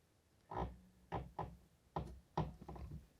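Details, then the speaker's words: Fiat Cinquecento Sporting clutch cable close to snapping: five or six groaning creaks as the pedal is released, and the pedal moves in increments. Lubricating it helped only about a month; the cable is suspected cracked and letting in moisture, and will be replaced. "if i press it down then maybe you can hear the noise and if i try to release the clutch in a controlled manner it will look like"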